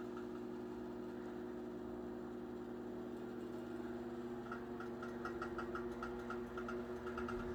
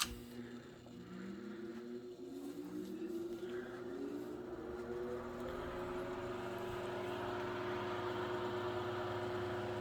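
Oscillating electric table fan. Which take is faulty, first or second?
first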